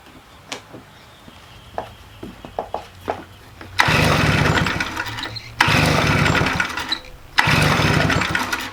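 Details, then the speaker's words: Stihl BR400 leaf blower, about 20 years old, flooding every start attempt before carburetor replacement; several pull-start rasps, then three short bursts where it fires, races and dies, won't keep running, hard starting. "It got to the point where it would flood every time I tried to start it, and it just really hasn't been starting."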